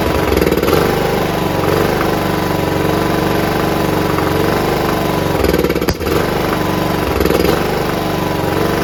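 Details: John Deere RX75 rear-engine riding mower; kill switch wiring not yet working so it won't shut off: steady, even buzzing idle with brief dip midway; normal idle, no carb clean needed.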